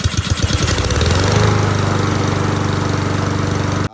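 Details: Free Lawn-Boy mower after carburetor cleaning, old gas drained and fresh gas added: starts on the pull, catches and settles into a steady, even putter with no misses; normal running.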